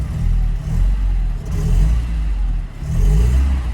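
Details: Porsche 924 started after long sitting, with oil pressure present: the engine speed swells and sags in an uneven cycle about every second; it surges, cause unknown.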